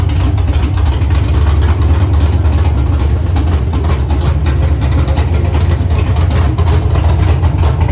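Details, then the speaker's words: Cammed 5.3 V8 truck (Texas Speed 232/234 cam, 110 LSA); deep, loud, choppy lopey idle through open headers, steady with no knocks or ticks. Normal healthy cammed idle. "from here it's adding on to the motor it sounds good it sounds healthy"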